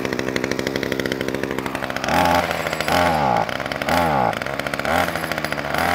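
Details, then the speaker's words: Titan strimmer multi-tool two-stroke, started with choke then choke off: surges unevenly, revs rise and sag about once a second, won't hold speed off choke, runs slightly better with a little choke; fixed with new carburetor diaphragm set. "all right and it will run a bit better if you just put the choke up slightly not a lot though and that's a lot"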